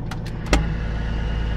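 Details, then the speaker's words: Peterbilt 379 diesel truck idling, door open, air dryer pops at 120 psi governor cut-out; steady idle then a single sharp pop and hiss of air; normal air dryer purge. "you here is the hair dryer popping you hear it so it's at 120."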